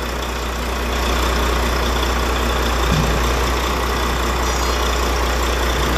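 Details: Volvo truck diesel after bleeding air from the fuel system to cure hard starting; deep, steady idle with a smooth low rumble, no stumbling or hunting; normal idle.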